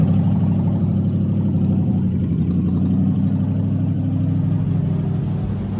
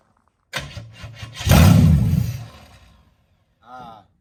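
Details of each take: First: HZ one-tonner engine's first start in six years: settles into a steady, even run with a low hum and no knocks or misses; starts and runs normally. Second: HZ one-tonner engine, first start in six years: cranking turns into a brief firing burst that dies within a second; it only kept firing with the key held in start, so a hot wire from the positive to the battery is planned.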